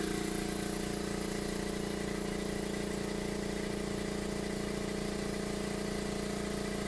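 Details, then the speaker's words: New Makita MAC700 air compressor running outdoors, recorded about 2 to 20 feet away (about 90 to 77 dB): steady low, bassy hum with an even pulse near 158 per minute, no knocks or squeal; running smooth. "I can just tell you, I know it's hard to tell on the YouTube, but aesthetically it's really not very loud. And it's not a high trebly sound, it's more of a baritone, bassy sound."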